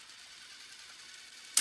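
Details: Bell & Howell 2394A cassette recorder under repair, plays but volume control dirty: light, even high whir about 1.5 seconds then firm clunk stop; rewind sounds normal.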